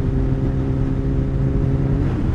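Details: 2008 Yamaha FZ1 held at steady revs, not under load: constant hum-whine over engine note, pitch unchanged with rpm; owner suspects clutch basket but unconfirmed; engine whine.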